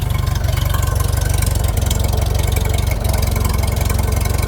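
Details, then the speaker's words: Old engine started after sitting through cold winter, run to warm up: low even idle pulse, no knocks or misses, nothing leaking, 50 psi oil pressure; normal warm idle. "Nothing's knocking. Nothing's leaking."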